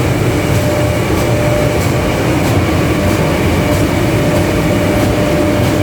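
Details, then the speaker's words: 3ES5K electric locomotive with motor-fans running and doors closed: sharp knocks about every 0.6 seconds over steady fan roar; a roof hatch over the transformer compartment was left unsecured and slams open and shut under internal air pressure. "трансформаторное отделение забыли люк на крыше задрает и вот это давление внутреннее по нему короче хлопочет он открывается и закрыва"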